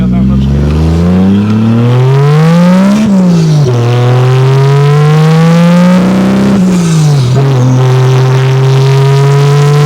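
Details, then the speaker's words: 2JZ-GE NA-T swapped MK3 Toyota Supra under boost, running too rich: revs climb hard, then stumble and sag with sharp pops as the engine breaks up. Misfire under boost traced to excessive spark plug gap. "It's better. Whoa, that was a lot. That's a lot of fuel. Too much fuel still and wanting to die."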